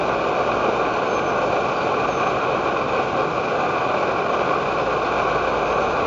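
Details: Edward Hexon backpacking stove on white gas (Coleman fuel), syringe-fed in place of its pump, bringing 500 ml of water toward a rolling boil: steady, even roar with no pulsing or sputter, holding constant; burning cleanly at full output.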